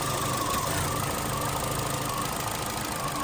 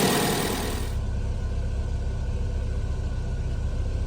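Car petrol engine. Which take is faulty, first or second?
first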